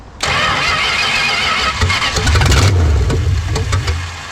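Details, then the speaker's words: 1970 Dodge Charger V8 newly fitted with electronic ignition, with spark confirmed: starter churns while the engine coughs and stumbles, firing irregularly without catching cleanly; owner judges the timing badly retarded and plans to reclock the distributor wires to advance it. "You know, I'm just gonna go ahead and reclock the wires because it's obviously retarded a lot."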